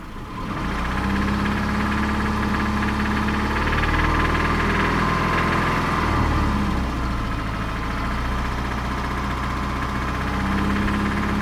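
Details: 2005 Subaru Impreza RS 2.5 boxer engine idling with a steady deep knock on each crank turn; research and mechanics suggested rod knock, suspected not confirmed.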